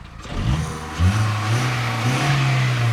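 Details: 2001/2002 VW Polo, 88,000 miles: engine note climbs and holds smoothly under a couple of blips and revs freely; owner heard an earlier rattle and suspects a loose exhaust shield.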